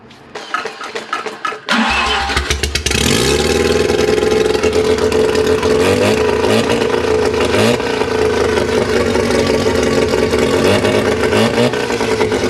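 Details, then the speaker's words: Mazda 12a rotary engine, pulled and run on an engine stand: after spark was switched on and timing advanced, it cranks, catches and settles into a buzzy, fairly steady idle with throttle blips, running well enough. "Well, that was much better. Looks like the tape's holding up. Heck yeah."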